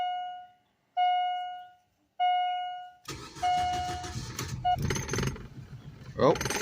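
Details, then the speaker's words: 2004 Suzuki Forenza first start after six to eight years sitting, new fuel pump fitted (old one clogged), old gas siphoned and four gallons fresh added; three chimes, then rough, surging, stumbling idle still burning old fuel in lines. "a little rough I got all the old gas siphoned out I got about four gallons in it a brand new gas so whatever's running through the lines right now is old gas"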